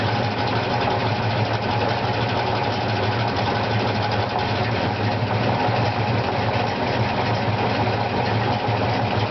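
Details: '65 Mustang with '87 302HO V8 and '88 GT T5, new Spec lightweight flywheel, Stage II clutch and throwout bearing, pressure plate fingers unbent: steady idle with fast light clicking while the clutch is held down; cause undiagnosed.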